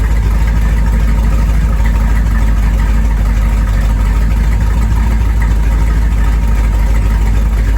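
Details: 1973 Corvette small-block V8, first drive in 5 years: strong even burble, steady beat, no skips or ticking; normal running.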